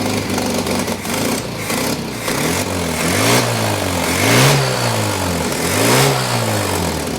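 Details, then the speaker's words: 1983 Toyota 4x4 pickup, 22R 4-cylinder carbureted engine, manual transmission, revived after sitting at least 10 years: idles unevenly, speed swelling and sagging about every 1.5 seconds as it loads up; carburetor suspected of flooding over, gurgling. "it's like if you let it idle it it floods over maybe bang on that caror well I I did I was yeah"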